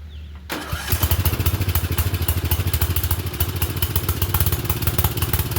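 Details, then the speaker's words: Murray Select 30-inch riding mower with the air filter refitted: the small engine runs with an uneven, loping beat of about three to four pulses a second and stays running only on choke. Owner suspects the choke butterfly is acting up; not confirmed. "Okay. So, something's going on with the choke. It's running on choke. It shouldn't be, but it's running on choke."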